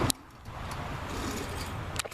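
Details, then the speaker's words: 2005 Hyundai Elantra wheel hub removed and spun by hand; steady gritty rumble with handling clicks, a shot wheel bearing to be pressed out and replaced. "he locks in place of fine bull see that bearing his shot"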